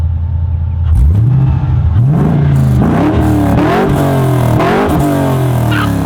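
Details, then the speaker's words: LS1-swapped HQ Holden on first drive: deep V8 burble climbing smoothly through repeated blips and a launch, intake induction audible, crisp and even with no knocks or misses. Normal V8 revving. "Actually, when you punch it, you can hear the induction too. Yeah. From the intake."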